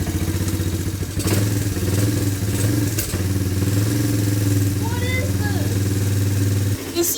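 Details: Yamaha Timberwolf ATV after cleaning carb, new petcock, fuel hose and spark plug, pull-started because the starter is bad: single-cylinder chugs at steady, even idle for several seconds, firing cleanly without stumbling; normal running.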